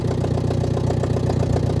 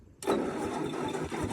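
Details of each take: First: Ford Jubilee half-track tractor, sat five years, after carburettor adjuster work, exhaust open straight off the manifold and carburettor leaking: steady, loud, even idle with a deep rumble and no misses or knocks. Normal idle. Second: Old Ford half-track tractor, not run for about 5 years, first start after tapping the starter; harsh, raw, far too loud exhaust roar because no exhaust manifold is fitted: loud exhaust from missing manifold.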